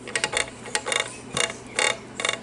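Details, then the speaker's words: Kirby Avalir 2 vacuum (2021 model) brought in for spitting debris out; fan turned by hand with belt off gives irregular bursts of sharp clicks, several per turn; something suspected loose or sucked into the fan housing, fan looks undamaged. "it's not supposed to sound like that so there's something down in there"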